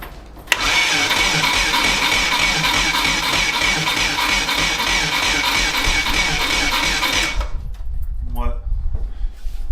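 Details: VW T3 Combi with swapped Subaru engine, cranked on a bigger new battery: sluggish cranking about three strokes a second, never catching, hardly better than before.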